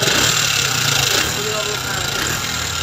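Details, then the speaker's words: Suzuki Gixxer SF 150 motorcycle at rough idle: loud harsh top-end clatter and hiss ("bat sound"); on teardown the mechanic found a camshaft bearing problem, still checking bearing versus rocker. "তো এখানে আমরা যে সমস্যাটা পাইলাম সেটা হচ্ছে এখানে ক্যামের বিয়ারিংয়ের সমস্যা।"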